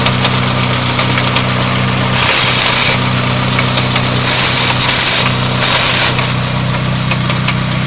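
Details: Custom CPL Racing straight-cut gear set just installed: steady idle hum with irregular crackling and three louder bursts of hissy rasping noise; owner unsure of the cause.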